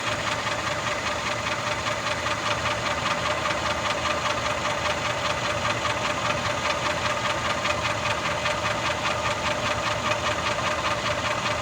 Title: M278 gl450 cls550 v8 benz Mercedes ticking knocking sound , what’s ? It’s hearing more from bottom